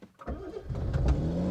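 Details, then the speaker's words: Revived barn-find Austin Princess 2200 automatic, cold start on choke: short crank, then the engine catches and settles into a low even run; normal cold start. "let's fire it up and take it for a spin a bit of Choke bit more"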